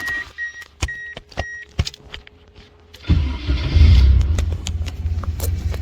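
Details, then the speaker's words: K-swapped Mazda Miata restarted after fixing vacuum leaks and cleaning oil off the exhaust: a few clicks, then a steady even idle, tuned, air-fuel about 15.2-15.4, slightly lean but fine. "Idling like a dream. What's it idling at? It's tuned. Yeah, about 15.2, 15.4, a little lean, but perfectly fine."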